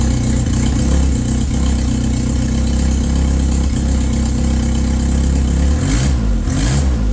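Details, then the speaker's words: Toyota Tercel wagon 3A engine after head gasket replacement, timing checked correct: loud rough idle with a puffing, chuffing edge on each firing pulse; exhaust leak from an untightened exhaust joint missing its gasket, fixed by fitting a gasket and tightening. "sounds like the timing's right all right the old rookie just didn't tighten the exhaust so yeah we'll go ahead and get that tight"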